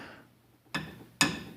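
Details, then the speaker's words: 1928 Grotrian Steinweg 120 upright piano, restored but with original wrest plank: two sharp isolated clicks about half a second apart as a string is pulled up; tuning pins jump instead of turning smoothly. "it just clicks and it's very difficult to tune to get into place because it jumps when you're trying to tune it"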